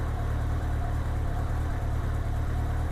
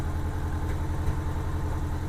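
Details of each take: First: 1987 Honda GL1200 Goldwing after synchronizing the four carbs with a Carbtune tool; smooth, even low idle with a steady beat and no popping or stumbling. The earlier popping is gone. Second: 1987 Honda GL1200 Goldwing idling while warming up, carburetors badly out of sync (cylinder 2 far off): low uneven idle with occasional soft pops, before synchronization.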